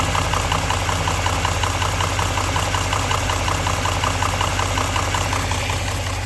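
Steady idle with a crisp, regular metallic knock, close to three a second and perfectly even over the hum; a clear engine knock.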